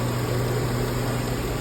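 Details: Chevy Silverado 1500 5.3 Vortec 4x4 after repairing a misfire that had the check engine light flashing; light now off: steady, even V8 idle with a smooth low hum and no ticking or stumble; engine running healthy.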